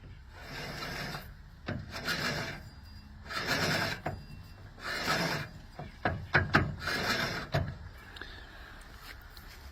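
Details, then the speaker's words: Cub Cadet LTX 1040 lawn tractor's hydrostatic transmission, which has oil in it; repeated bursts of rough grinding and rasping each time the drive is worked; hydro sounds worn, cause not found. "Not the best sounding hydro in the world."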